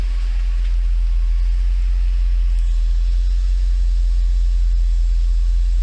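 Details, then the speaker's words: Mercedes 500E W124 V8 after fuel pump replacement with a used pump (leak fixed): smooth, even idle exhaust rumble, no misfires, condensation water from exhaust showing catalytic converters working; normal idle. "smooth as you can hear no misfires"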